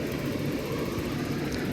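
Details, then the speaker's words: Gas furnace bench-tested with its own gas supply and portable lithium battery power to rule out voltage drop, fan motor suspected: smooth, even blower roar with steady burner rush, no rattles, squeals or surging; running normally. "all right we got everything connected I am the thermostat go ahead and uh hit it man it's running like a champ right now"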